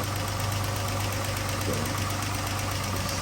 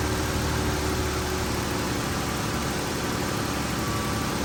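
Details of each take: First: 2012 Chrysler 300 3.6L before repair: fast light ticking over steady idle, keeping pace with engine speed; likely a failed rocker follower roller bearing. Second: 2012 Chrysler 300 3.6L, first start after rocker arm replacement for ticking, both cams damaged: smooth, steady idle with even low hum, no ticking or tapping on top; engine sounds healthy.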